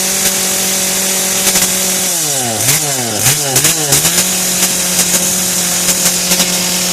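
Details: Kretec UDT two-stroke chainsaw on 25:1 petrol-oil mix, just started: high buzzing drone holds steady, dips and rises with quick blips, then settles back to an even, clean run.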